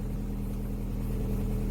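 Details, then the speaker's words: Opel Omega B, 4th-generation propane-butane LPG that wouldn't switch to gas; running on gas with the arming valve stem removed, short steady even idle, low hum, no misfire, implicating that valve, whose coil is suspected burnt again. "il a commencé à fonctionner directement . Il s'agit donc de lui."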